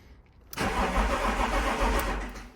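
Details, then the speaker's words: 1992 BMW E36 3 Series that cranks but won't start, started on starting spray in the intake: catches, runs unevenly about two seconds, then dies; spark is fine, fuel delivery failed, traced to a dead fuel pump (fuse and relays checked OK). "So I know I have a fuel problem because electrically the car fired as soon as I put some start on it."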